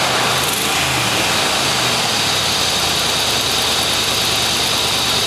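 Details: Jeep 4.7L V8 (2005-2007) just after replacing spark plugs worn to 0.006 in gap instead of 0.004: steady low idle rumble under heavy hiss, no obvious misfire; may run rough at first while computer adapts.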